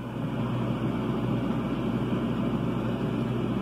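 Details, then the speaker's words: Mabe refrigerator that was not cooling, running a while after repair: steady even low compressor hum, no clicking, rattling or cycling; normal running. "ya después de un rato conectado al refrigerador está funcionando bien"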